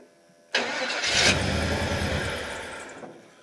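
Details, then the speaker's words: Newly installed engine in a 1977 GMC on a makeshift test setup, first start with choke set: catches, runs ragged about two seconds, then dies; fuel pump not delivering, no gas seen, owner suspects pump misaligned. "fuel pump's not working great but all right fuel pump it's not working can't even see gas"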